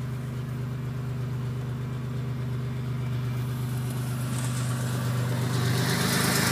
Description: The sound of an exhaust leak for those needing reference.